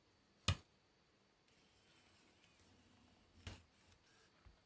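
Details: Damaged Canon 8mm camcorder after teardown, with its load/unload motor refitted, eject test: a sharp click, about two seconds of faint motor whirr, then two clicks as the cassette door releases; normal eject cycle.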